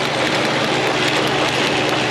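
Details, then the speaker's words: 2000 Honda Civic 1.6 L four-cylinder, 219,049 miles, rough running, flashing check engine light: steady run with sharp fast ticks, spark jumping from a leaking plug wire, all cylinders misfiring; misfire with spark leaking from plug wire. "If I remove this, you can hear it clicking. That's the spark jumping."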